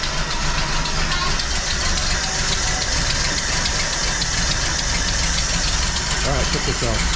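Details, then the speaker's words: 1981 Jeep CJ7 with newly replaced carburetor, first start after sitting a few weeks: loud, lumpy unsteady idle with background hiss; owner suspects multiple vacuum leaks or idle mixture screws needing adjustment, unconfirmed. "so good news bad news uh good news the car started uh bad news did not run very good it sounded like there were multiple vacuum leaks"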